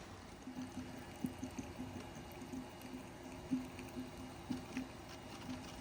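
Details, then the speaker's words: Smart 453 EQ electric car after repair, coolant pumps running: soft, irregular gurgles about once a second over a faint pump hum as trapped air bubbles out of the coolant circuit. "You can hear the coolant getting rid of all the air around the engine. Just wait until that noise has stopped and you should be good."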